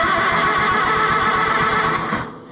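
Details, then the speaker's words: Oliver 66 tractor that sat for a long time and smells flooded: slow, even cranking for a couple of seconds with no firing. There is no spark, and corroded points are suspected, needing filing. "crank it over yeah there ain't no sparkage now the question is do I have an emery board"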